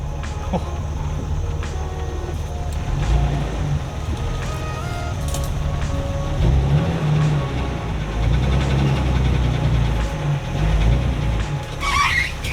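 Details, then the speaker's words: 2003 Jeep Wrangler TJ on a test drive after transmission replacement: steady road rumble through the shifts from first to fourth with no whine, grind or clunk, and the downshift is smooth; the gearbox sounds quiet and healthy. "All right, first gear, second gear, nice and quiet. Third gear, fourth gear."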